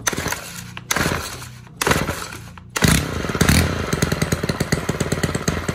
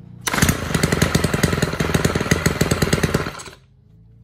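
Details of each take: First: Stihl KM 90 R KombiEngine two-stroke trimmer that won't stay running, during carb adjustment in quarter turns; catches in short bursts, runs lumpy and uneven for about four seconds, then dies; rough running, cause not confirmed. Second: Stihl KM 90 R KombiEngine two-stroke trimmer that wouldn't stay running, after turning the carb adjustment about three quarter turns; rapid, fairly even buzz for about three seconds, now running by itself; normal running.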